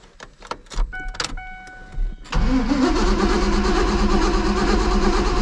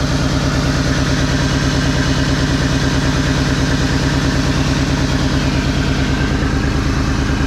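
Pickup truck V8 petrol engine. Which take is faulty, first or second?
second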